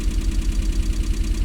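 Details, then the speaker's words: Rover-engined MG first started after work, immobilizer off: lumpy low idle with an uneven pulse about every tenth of a second, with some smoke; owner suspects a misfire, perhaps running on three cylinders, not confirmed. "now you'll know better than me does that sound normal is that rover might be a misfire i might be running on three cylinders here"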